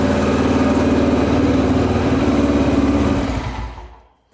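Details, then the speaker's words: 1999 Honda XR250R single-cylinder dirt bike, rebuilt after being underwater, idling warm smoothly with an even thump and no valve tick after adjusting one very loose valve, then shut off; no smoke or leaks. "Alright, no more ticking. That sounds a lot better."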